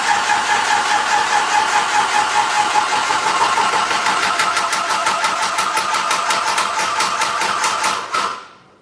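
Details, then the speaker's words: Graco ProStep paint sprayer switched from prime to pump, filling the hose with paint until it shuts off: a busy motor drone with quick regular pulsing that speeds up and sharpens as the hose fills, normal priming. "What I'm going to do now is to switch it to pump, which is going to fill the hose up, and then it'll be almost ready to spray."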